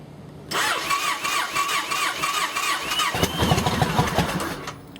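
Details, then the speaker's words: 2008 Yamaha Raider V-twin, hard starting and decel popping: starter grinds, then it catches and stumbles at an uneven lumpy idle needing throttle; rough idle from a cracked, leaking fuel pump under the seat on the auxiliary tank. "But the idling's bad. So we'll give it a little bit of throttle this time. Well, maybe not. There we go. Once you get it started up, it runs."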